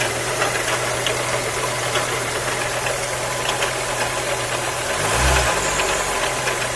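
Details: Engine idling with a steady low drone and faint irregular tapping on top; the owner cannot work out the cause of the hum; engine humming noise.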